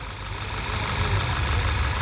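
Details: Skoda Superb petrol engine, after cleaning plug-well oil from leaking tappet-cover seals behind a cylinder 1 misfire (P0301); a seal fix is still planned: steady low idle with an even beat, no skips, smooth on all cylinders.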